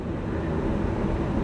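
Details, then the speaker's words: 2003 GMC C5500 TopKick, truck off and key out, HVAC off: steady loud roar of air from the blower running flat out and not shutting off; stuck on high from failed blower motor resistor, part 12135104. "you guys can probably hear just how loud this blower motor is"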